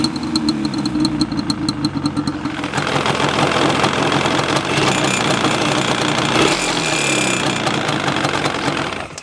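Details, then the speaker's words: 2002 Yamaha Banshee 350 two-stroke: uneven popping start settling into a loud rough run with a gravelly grumbling noise; owner suspects a bearing, someone had been inside the engine, white or blue smoke seen; grumbling engine noise. "hear like that I don't that supposed to sound like that like grumbling the type of noise in there"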